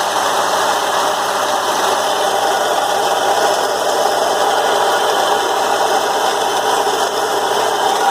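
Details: BMW E36 M3 at idle, noise noticed after a 2-hour drive: rough idle with constant rattling, gritty whir from front accessories; confirmed failed AC compressor with play and pulley damaged by it.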